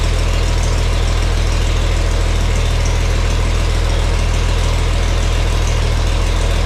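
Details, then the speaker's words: Farmall 460 tractor, rebuilt engine, after installing electronic ignition and rotating the distributor to set timing: deep, steady idle with even firing pulses, no misses or stumbles; sounds nice, though not quite as responsive when throttle is cracked. "It's not quite as responsive when I crack on the throttle, but you know, we'll mess with that a little bit if we have to, but if you don't gouge on it, it's it's pretty good and it sounds really nice."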